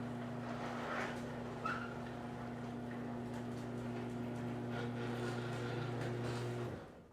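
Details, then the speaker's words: Garage door opener after quieting fix (new rollers): steady low motor hum, door rolling smoothly with no squeal or scraping, stops cleanly; meter reads 81 peak, 58 average, average down 12 dB and peak down 9; normal operation. "So the average lowered by 12 and the peak lowered by 9, but it is a significant difference in here. You can hear a significant difference in the sound."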